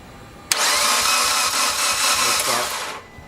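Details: 2008 Mitsubishi Evo X GSR, 65,000 miles, cranking at about 100 rpm for about two and a half seconds without catching; compression 55, 60, 65, 48 versus about 160; exhaust cam chain had skipped a tooth, still low after retiming.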